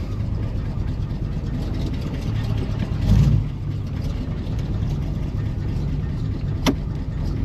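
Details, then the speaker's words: Pontiac Grand LeMans V8, first drive after years off the road, carb untuned: lumpy, uneven idle with a brief surge; rough running that the owner suspects is timing or the carburetor. "Maybe we'll give it another go. That sounds more like timing to me."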